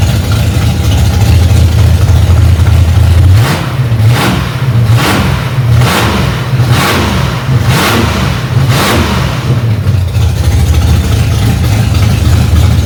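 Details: Freshly rebuilt Ford 289 small-block V8 in a 1965 Mustang "Hack Job", first start after months of work, cold engine: deep steady rumble at raised fast idle with rhythmic puffs, running evenly on its own; normal fast idle.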